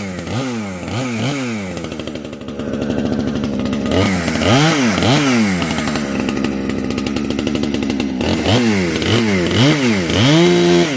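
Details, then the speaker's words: Heavily modified chainsaw with new homemade muffler (can), compression building as it breaks in, cutting a tree; sharp, crisp revs to a high scream with steady pull — normal full-throttle run. "Listen to this new pipe. Compression's starting to build in this thing. Dog wicked."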